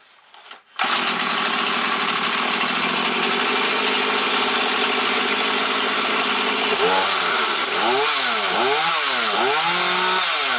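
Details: Husqvarna 240 chainsaw, rebuilt and carburettor adjusted, running after tuning: starts at once, steady high buzz, then clean repeated rev blips; idle may be raised slightly if needed. Normal running.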